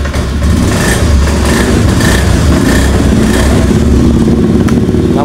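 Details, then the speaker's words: Scooter that would not start, with the fuel pump not humming and the MIL blinking code 12. After the fault was cleared the engine runs steadily but stumbles briefly on initial throttle opening; another problem is possibly still present. "agak berpet k ya ini ada keterlambatan tu ditarikan awal kemungkinan ada masalah lain"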